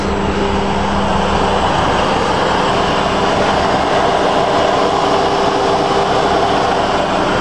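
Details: Chrysler 300M V6 idling in gear after about 10 miles of driving until near overheating: loud, steady, rapid clanking, usually random and only at idle; owner unsure if lifter tick or spun bearing.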